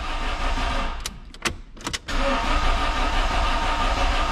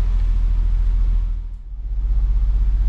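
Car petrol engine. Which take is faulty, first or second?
first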